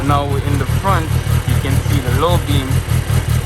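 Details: 2023 Kawasaki ZX-10R KRT edition, 29 miles, just started: an even, steady four-cylinder idle burble with no knocks, ticks or misses. A healthy idle.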